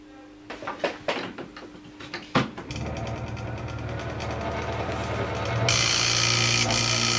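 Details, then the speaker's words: Disco scanning club light, noisy mirror stepper unit plugged in on bench: handling knocks then rough steady buzzing rattle growing harsher; nothing visibly wrong, motor suspected not screwed in properly, loose on mounting screw. "okay so I think maybe it wasn't screwed in properly that's probably why it's making so much noise"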